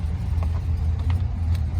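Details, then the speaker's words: 2004 GMC Sierra 2500HD 6.0 V8 4wd, auction truck sold as non-running, first start after coolant refill with broken exhaust manifold bolts leaking; deep uneven lumpy, loping idle. "Getting a little lopey. I don't think this thing's got a cam in it."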